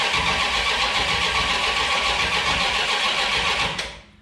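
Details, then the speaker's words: New 408 stroker small-block Mopar (from a 360) with HEI/MSD ignition before flat-tappet cam break-in; steady fast cranking about 220 per minute, never catches; no spark, suspected low battery voltage to the ignition. "doesn't even sound like it's trying no every wire is red"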